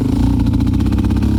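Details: 2001 Raptor 660 single-cylinder with Hotcams stage 2 and slightly imperfect cam timing alignment, safety switches bypassed: stumbling, uneven firing at low rpm, then takes off like a rocket. Same fault with old and new carbs; cause not found.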